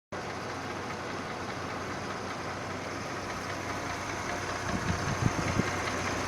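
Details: 2009 Mercedes-Benz GLK 350 at idle: quiet idle with a light, uneven clattering engine noise on top, a little louder near the end; the source is not identified.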